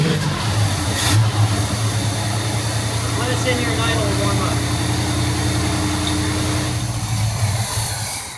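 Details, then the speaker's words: 1971 Pontiac Firebird Formula V8, after distributor ignition work with timing slightly advanced, cold and idling a few minutes, smelling rich: deep, even idle holds steady with a brief rev blip, no misses or stumbles. Normal idle. "Okay. Still smells rich. But it's also cold. It's been sitting here idling for a handful of minutes now."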